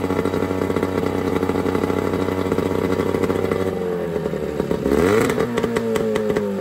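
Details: Johnson 9.9 outboard (kicker motor) after a carb kit rebuild and new plugs gapped to spec: steady, even idle with a smooth low hum that shifts and briefly picks up around the mixture adjustment; running cleanly, normal idle.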